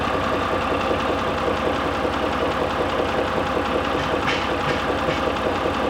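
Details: Mitsubishi Pajero III 6G74 3.5 L GDI at steady idle: regular tapping knock about two beats a second riding over the engine note; internal engine knock, cause unclear.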